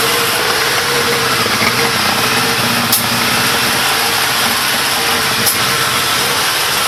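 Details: Big One engine at 95,000 km, idling without choke; sharp click about every two and a half seconds over steady idle; suspicious noise, source unclear.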